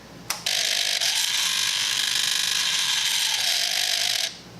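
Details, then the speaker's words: Kawasaki Z1000 sub-throttle servo on a replacement used throttle body: a harsh, high, rapid ratcheting buzz for about four seconds as it sweeps open; it opens fully but is noisy, and many are reportedly bad. "Still sounds like crap, but she opens up all the way, so that's something. Whew. So apparently a lot of these are bad anyway, but at least it opens all"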